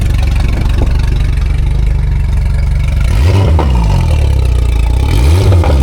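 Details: Race boat engine after repairing a low system voltage ignition wiring fault: deep strong note picking up cleanly on two quick throttle blips and settling back without stumbling; repair successful.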